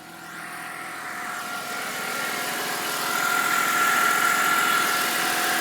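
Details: BMW 325i at cold start: steady high whining whistle above the engine hum, rising slightly in pitch and getting louder over a few seconds; it goes away once the engine warms up.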